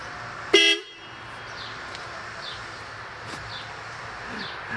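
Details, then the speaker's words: 1972 Oldsmobile Cutlass whose horn had stopped working, fitted with horns taken from another vehicle: one short, loud honk over quiet street noise; the horn now works and is very loud. "The whole neighborhood can hear that. And it's so funny. It's not even embarrassing. It's great."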